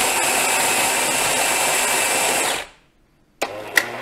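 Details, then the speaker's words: 15-year-old Jura F9 coffee machine after scale-clogged heater replacement, Strong Coffee selected: steady high buzzing grind about two and a half seconds, then clean stop; grinder working properly. "Strong Coffee trzeba przytrzymywać trochę na szczęście młynek działa Mieli nawet nieźle"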